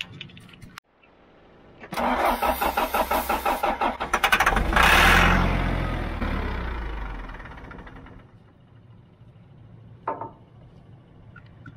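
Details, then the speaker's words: Abandoned John Deere 310 backhoe cranking on starting fluid with upper-cylinder lubricant: rough, uneven chuffs about three per second, then it catches and revs, knocking as it starts; cause unknown. "Man, hear that thing knocking when it, you hear that thing knocking when it starts?"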